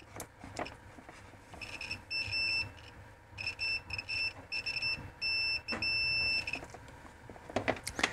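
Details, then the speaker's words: Continuity test with a multimeter after reassembling a plug: a high beep cuts in and out in short, broken bursts instead of holding steady. It points to poor contact, possibly just the probe tip not touching properly inside; not confirmed. "Ça bip sur les deux côtés. Alors le bip est un petit peu mauvais, mais après est-ce que c'est parce que ma pointe de multimètre ne touche pas correctement à l'intérieur?"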